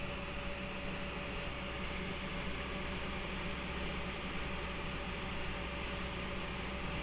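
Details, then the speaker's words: Desktop PC with all case fans cranked to high: constant loud rushing air with a faint steady hum, no ticking or rattling, normal full-speed airflow. "But I just want to crank up all the fan speeds. You guys gotta give me a second. Now, obviously, you can hear how loud everything is at the moment."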